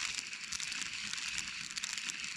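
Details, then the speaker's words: Shimano DC baitcasting reel, about one year old: dry gritty crackling rasp as the handle turns, started in spring and worsening, hard to cast; owner suspects broken gears, possibly bearings; unconfirmed. "I think the gear in there is broke. Let me see if I can get it really quick. So really what the issue is, see if I can get this thing really quick, guys. So if you could see, you could hear it. You could hear that grinding on there,"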